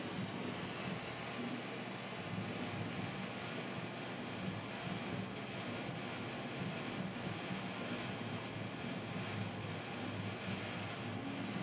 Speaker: this exhaust fan has bad bearings it's been having bad bearings ever since 1996